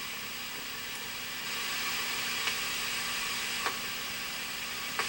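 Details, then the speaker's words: 1982 Bally Midway Robby Roto arcade PCB set under repair, game playable with bad Astro chip: quiet hiss broken by sharp, irregular pops about a second apart on sound channel two, no audio there; channel one good. "it's trying you can hear it popping you go to channel one see channel one is good"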